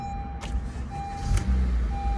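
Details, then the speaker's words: 2015 Honda Accord 2.4L K24 Earth Dreams, after replacing VTC actuator, timing chain, guides and tensioner: steady low idle hum with no ticking or rattle. Second start after the tensioner change runs smooth and quiet; the first start made a weird noise. "oh my God that sounds so smooth wow yeah so every time you change your tensioner it's going to make a weird noise and then the second time it'll be totally quiet"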